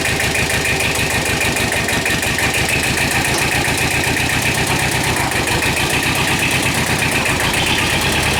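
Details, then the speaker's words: Kubota two-cylinder diesel tractor just restarted after a low-oil-pressure repair, still on old oil and warming up: steady, lumpy idle clatter with the even offbeat two-cylinder rhythm, running healthy. "go sounds good it's a two-cylinder so it's got a weird kind of thought to it"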